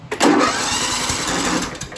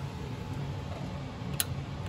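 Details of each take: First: John Deere L110 tractor with single-cylinder Kohler Command engine, no-start: while cranking it gives a sharp cough and backfire pop, then erratic uneven churning that never catches; ignition timing off from a sheared flywheel key. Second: Fuel shut-off solenoid on the Kohler Command engine of a John Deere L110 that misses and pops, with the key cycled on and off. Crisp single clicks about every 1.25 seconds show the solenoid works and is not the fault.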